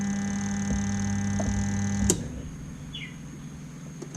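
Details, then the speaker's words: Samsung twin-tub washing machine WT15J79, spin-dry motor won't turn: loud steady mains hum at switch-on with no speed build-up, then clicks off; spin motor stalled, windings shorted. "อาการให้ลูกค้าแจ้งมาคือทางผ่านไม่ยอมปั่นนะครับเวลาเสียบปากเริ่มเปิดสวิทช์ก็จะเสียงข้างมอเตอร์"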